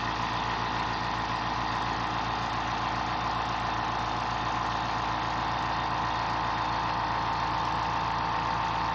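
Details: Fortress 2-gallon ultra quiet air compressor filling its tank in 45 seconds. An even, steady motor hum with a smooth pumping beat and no knocks or rattles; very quiet and healthy.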